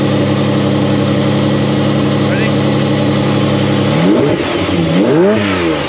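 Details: Ferrari Testarossa (Ratarossa), in a field after refitting the alternator belt, battery light now out: smooth even idle then clean revs rising and falling freely, no belt chirp; belt bouncing, to be tightened slightly.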